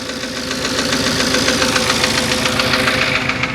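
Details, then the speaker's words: Porsche Cayenne 955 4.5 V8 250 kW at 311,000 km, nearly out of fuel, cold start before warm-up, engine shaking, heard from outside; idling with loud steady knock about three to four per second, cause not confirmed: engine knock at idle. "You can hear it from here, the knock of the engine is real audible. And yeah, let's sit inside. Yeah, you can hear it knocking."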